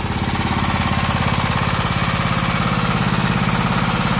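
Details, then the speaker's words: John Deere Sabre riding mower engine idling after sitting, water coming from muffler: steady even tick about three to four per second over idle; hydraulic lifter noise, owner expects it to quiet as lifters purge air. "sometimes you gotta Jack the front of these tractors up just as high you can get them with the engine running and that does something to these lifters it gets the air out of them"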